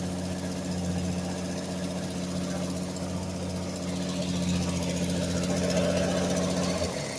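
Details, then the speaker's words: 1965 Ford Mustang six-cylinder with rebuilt carburetor idles evenly but quickly, a steady hum clearly faster than normal, with choke about a quarter on to completely off; fast idle, then it cuts off. "oh it's idling pretty fast for a quarter to the choke completely off of [Music] we had this carbureted rebuilt"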